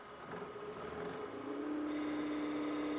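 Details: AC-35 motor on a Curtis 1238 96V 550A controller during a throttle characterization test after fixing the swapped encoder direction setting: quiet whine climbs then holds a steady pitch, no stutter or grinding; motor runs smoothly.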